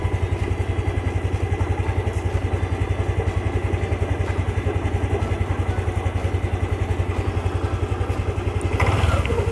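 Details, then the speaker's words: Lexi fuel-injected scooter at about 34,000 km after 3+ years of commuting, idle: steady pulsing with a faint light tick. Owner suspects loose valve clearance needing adjustment, but considers it still OK. "kalau menurut gua sedikit ngelitik yang kemungkinan itu kalau gua baca-baca dari keluhan di Facebook itu tuh ada di bagian settingan kapnya yang udah renggang ataupun perlu disetting ulang"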